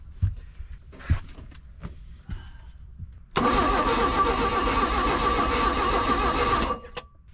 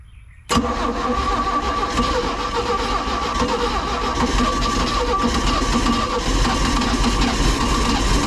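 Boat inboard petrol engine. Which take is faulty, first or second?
first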